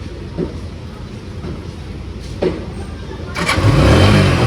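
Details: Lifan KPR motorcycle with a discharged battery, started in neutral by holding the starter button: quiet with a couple of faint clicks, then the engine catches after about three and a half seconds; hard start from a discharged battery.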